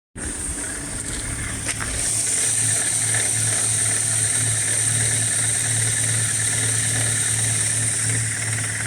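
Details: BMW E87 118i, N46B20 engine, cold start: fast, loose ticking clatter over the idle like a bucket of nails, disappearing after a short run and returning every cold start; hydraulic lifter tick.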